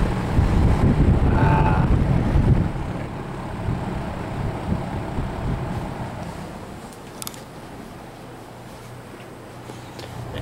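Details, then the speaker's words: 1966 Lakewood Country-Aire fan, long used in a small engine repair garage, running after cleaning and restoration: steady low motor hum, no rattle, scrape, wobble, vibrations, unusual noises or smoke; normal running. "Much better. No vibrations, no unusual noises, no smoke."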